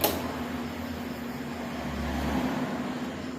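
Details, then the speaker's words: Yamaha Mio J fuel-injected scooter that is completely dead, key on: only a faint, steady low hum from the fuel pump while the pressure gauge stays at zero; failed fuel pump. "bunyi dengung di bagian full form cuman bunyinya itu cuman sedikit ya teman-teman"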